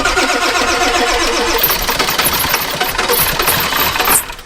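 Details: 7.3 diesel farm truck, about 700,000 farm-calculated miles, gauge reading half a tank: fast rhythmic starter churning about 220 beats a minute for seconds without catching; long crank, no start; low oil pressure or lack of fuel suspected.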